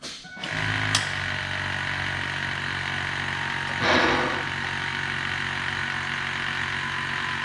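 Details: 2001 Ford F-350 Super Duty 7.3 PowerStroke diesel after new serpentine belt installation: fires up and holds a smooth, steady idle with no chirp or squeal from the belt.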